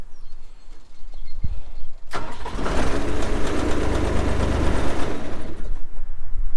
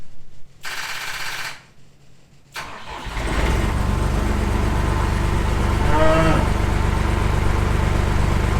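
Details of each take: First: John Deere 250 skid loader diesel after wire-brushing battery terminals and replacing cracked positive cable end: a few seconds quiet, then fires at once and settles into steady even idle; clean start, owner hopes the starting fault is fixed. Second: John Deere 250 skid loader diesel after adding a Ford solenoid to counter voltage drop: short cranking burst stops, then a second crank catches and runs steadily; hesitant starter engagement, possibly from weak voltage.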